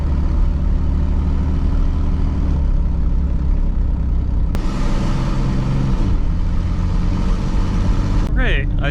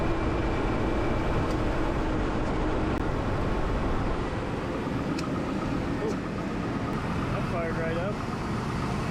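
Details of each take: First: 2002 Chevy Blazer, 4.3L V6 Vortec, driven with both O2 sensors removed. There is a very loud, raw exhaust roar rising with throttle. It drives well this way, showing the catalytic converters are clogged. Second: 2002 Chevy Blazer 4.3L V6 Vortec, first start after sitting about 5 months, following transmission shift solenoid replacement and a refill with Dexron. Smooth, even idle with no misses or knocks.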